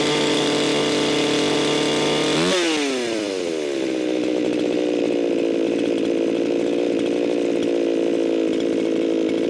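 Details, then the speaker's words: Echo 4910 chainsaw, barely warmed after long storage, tuned by tachometer: thin screaming wide-open pitch jumps to 15,000 rpm, drops after two seconds then holds; mixture far too lean. "Way too lean. That jumped up to 15,000 RPMs. Way too lean for this here saw."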